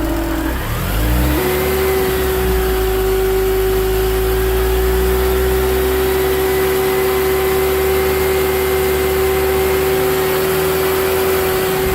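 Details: BMW Mini Cooper R53 with a refitted supercharger: a steady whirring tone that holds one pitch through all rev ranges, present for 12 months. The cause was a collapsed oil tube from the rocker cover to the supercharger.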